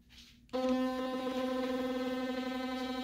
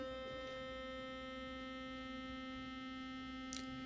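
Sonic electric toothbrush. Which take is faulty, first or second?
first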